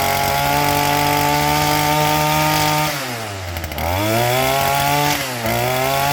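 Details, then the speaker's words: STIHL FS38 two-stroke string trimmer with brand-new carburetor, unrun at least 2 years, high-speed screw set for max RPM; steady high buzz dips briefly twice and recovers cleanly, holding speed well: normal running. "And for having a brand new carburetor on it and it not being run for 2 years in the very minimum, it sounds pretty good."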